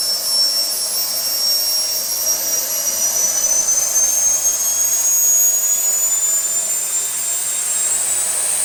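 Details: SWIWIN SW220B micro turbine, first raw factory-setting startup on test stand at about -24°C (-10°F): thin high whine climbs slowly while spooling up, hanging on the fuel ramp; fuel restricted because the tank vent plug was left in.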